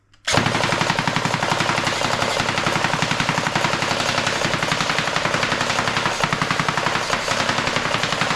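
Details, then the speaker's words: S&T M240B airsoft support gun after gearbox repair, on a 7.4V battery: steady even rattle at about 11 rounds per second (660 per minute) with no stumbling or slowing; normal sustained firing. "So, there we go. That is the repair on the S&T M240B. And it will happily do this all day."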